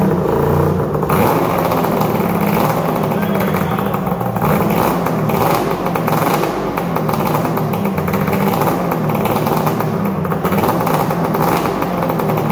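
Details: 1997 ZRT 600 triple two-stroke snowmobile after replacement bottom end (old crank bearings noisy, seals leaking), running after sitting all summer: loud, crisp revving rising and falling cleanly with throttle, no knock or rattle; healthy.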